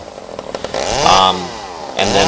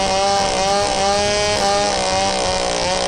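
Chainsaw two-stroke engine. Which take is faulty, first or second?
first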